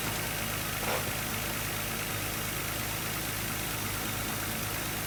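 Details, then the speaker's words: 1995 Audi A6 idling with steady airy hiss over even idle; vacuum line cracked when refitting spark plug wires caused stalling; old brittle rubber; fixed by replacing the line. "You can actually hear the vacuum leak. The hissing sound is the vacuum leak."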